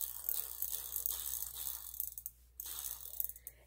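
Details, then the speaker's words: Huffy Trail Runner bicycle freewheel after oil fully penetrated: hand-spun, soft fast airy pawl ticking, now quiet and smooth. "and right there I could hear difference in sound I don't know if you heard that but it just like suddenly just kind of went really quiet and now it feels smooth"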